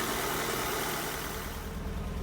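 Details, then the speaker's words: Ford Focus ST170 warming up at idle, running rough with vibration and hunting. A stumbling misfire leaves audible gaps, and the misfire has returned, this time with the engine management light on. "right it's running terribly the misfire is back but the engine management light has come on this time"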